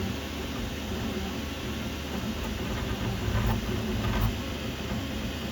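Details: Qidi Q2 3D printer: constant buzzing clatter over the motors, swelling briefly with moves, from a loose print head rattling on its mount.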